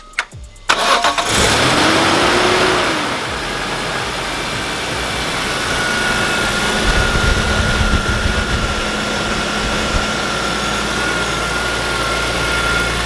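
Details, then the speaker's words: Damaged ZCP BMW E46 M3 first started after used replacement parts were installed, run only briefly. Quick crank, clean catch, then a steady, even idle with no rattles or belt chirps; everything checks out. "well everything checks out perfect I'm extremely happy and excited because anything could have happened any of these pulleys could have been bent"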